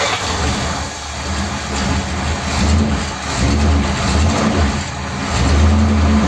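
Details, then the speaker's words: 1957 Ford Thunderbird V8 with original carburettor parts reinstated, fuel level checked: deep idle with a gentle rise and fall in level but no stumble or miss; running okay. "that's actually running okay isn't it it's nice to have t"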